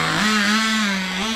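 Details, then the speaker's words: Turbocharged nitro RC car after leaning the fuel mixture, which was suspected too rich: high, steady screaming note held at speed with a brief dip and recovery; revving faster but still not shifting. "oh that seems faster yeah that is faster still not shifting"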